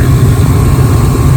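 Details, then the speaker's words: Gas furnace that was blowing cold air, after breaker reset, panel off: steady low rumble and even burner roar once gas valve opens, no bangs, clicks or rattles; burners firing normally. "valve is now open, so we've got gas and we've got heat."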